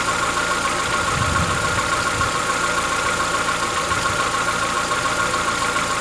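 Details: Chevrolet Onix 1.4 petrol, 2014-15, after cold start: light ticking over a steady idle, about two a second and not perfectly even, lasting about 10 minutes. Present since new. Owner suspects a tappet knock inside the engine, not injectors; cause unconfirmed.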